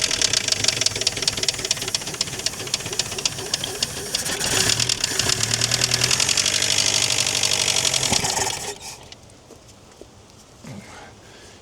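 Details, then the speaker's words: Chrysler Galant 1600 wagon, sitting 30 years, first start: fast sharp metallic ticking about four per second over rough idle; loose tappet or knock, cause not determined. "got a bit of a rattle. I don't know if it's a loose tap it or a knock."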